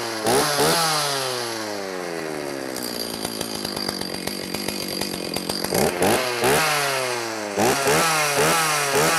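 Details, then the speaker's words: Used Stihl 029 chainsaw, leaking oil for years, started on choke on fuel of unknown age to confirm oiling: crisp two-stroke buzz revving up and down cleanly, no stumbling; running healthy. "all right so my next step is going to be to start it up make sure that I get oil out of that hole right there that'll tell me that it's oiling it's pushing oil like it's supposed to"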